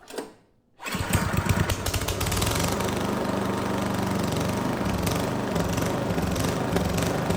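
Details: Neglected Craftsman snow blower 247.889571, cold start at about half throttle, primed, after repairs: catches after a pull, lumpy uneven chug that settles; needed some choke to smooth out, then ran well.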